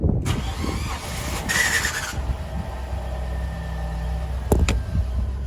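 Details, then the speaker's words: Ford Ka Zetec from a salvage auction, 88,733 on the odometer: harsh whirring crank with rough chatter as it catches, then steady low idle, no warning lights; starter motor faulty and to be replaced. "So that is the starter motor. So we've got to change the starter motor on this."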